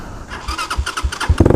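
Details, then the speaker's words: Tao Tao TBR7 dual sport single-cylinder bike with a weak battery after a partial charge: starter whirs briefly, then the engine catches and settles into quick, even firing pulses; enough charge for an electric start. Normal electric start. "Oh yeah. Well, it got enough charge to fire it up with electric start."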